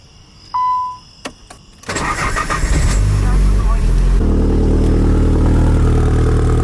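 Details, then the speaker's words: Nissan 300ZX Z32 with swapped KA24DE, Garrett G30-660 turbo, new Greddy exhaust just mounted: start then deep loud idle with chuffing exhaust leak at flanges not yet fully tightened. "sure yeah it is leaking quite a bit but we didn't tighten them Landes down all the way doesn't sound bad though"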